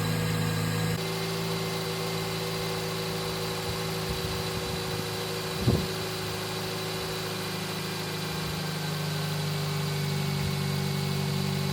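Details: Toyota Yaris SR 1.3 four-cylinder after alternator and drive belt replacement: smooth steady even idle hum for over ten seconds with no belt squeal or whine; battery light off and charging; normal idle.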